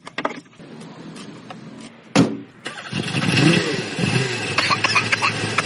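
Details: Mercedes W124 diesel with a hard-starting problem: short crank, then catches and clatters into a rising idle without a long struggle, amid some handling noise.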